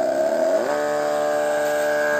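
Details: Electric sprayer pump powered via adapter with the upper switch and connector plugged in gives an even hum that drops to a lower, steady pitch after half a second; a single pump running normally.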